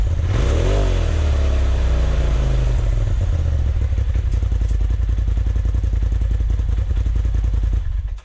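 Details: 2020 Polaris RZR Turbo S Velocity turbo engine after a Trinity Stage 5 slip-on exhaust install: it catches, revs up and falls back, then settles into a deep, even burbling idle; normal start and rev.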